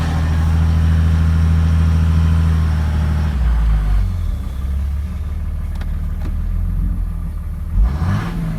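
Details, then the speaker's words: 2006 Cummins diesel with rough idle that began suddenly: revs drop back to an uneven, loping idle with an irregular stumble, not a lope tune; owner suspects a bad injector, unconfirmed. "So I think I have a bad injector. That is not a lope tune."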